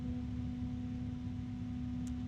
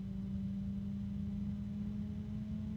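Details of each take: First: PC case fan at full speed, normal but loud: steady low hum with a constant tone, no rattle or ticking, estimated around 39 dB. It sounds louder than a Noctua NF-A12x25, though lower pitched. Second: PC case fan with a resonance: steady low hum with a strong pure tone near 210 Hz that swells as the fan speed drifts. Some fans have no resonances and some have several.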